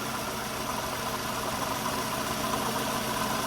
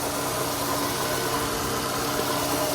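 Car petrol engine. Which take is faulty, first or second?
first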